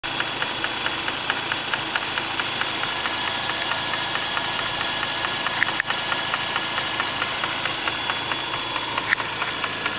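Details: 2004 Mazda RX-8 rotary that drives fine: smooth idle beneath a high, thin buzz and regular light ticking seemingly from the intake area. Cause was a faulty SSV valve, fixed by rebuilding the SSV valve.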